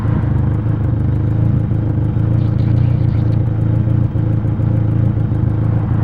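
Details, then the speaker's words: KA engine after fuel pressure regulator replacement, idle slightly high and drifting up and down instead of holding steady; throttle cable to be adjusted to lower idle. "idle as is that a constant idle it moves up and down a little bit so i'm adjust the throttle cable again i'm gonna lower the idle just a little bit more and we should be good"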